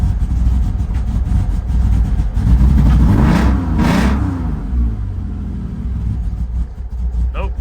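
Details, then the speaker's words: BMW E46 drift car, 316,000 miles, being fixed for laggy throttle and bogging: engine runs rough, stumbling and lumpy while revving and settling, misfiring on several cylinders after a fuel line popped off and soaked the warm exhaust in gas. "something's messed up. All right, so had a fuel line pop off and soaked everything including the exhaust down here in gas, which it was warm, so it's all gone now."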